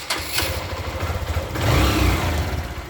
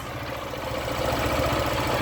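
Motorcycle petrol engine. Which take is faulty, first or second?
second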